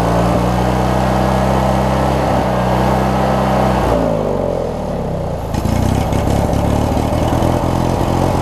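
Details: Craftsman 42-inch riding mower with 19.5hp Briggs opposed-twin engine, after governor and governor-spring setting, tested outdoors: steady twin drone dips briefly then climbs and holds a touch fast; governed speed set slightly high, to be backed out.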